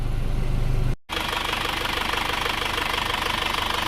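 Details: Overhauled car engine warm after a 40 km test drive, 81–84 °C, no water or oil leaks: steady, even idle with a soft pulse of about three and a half beats a second and no knocks or misses; healthy, valves still to be adjusted.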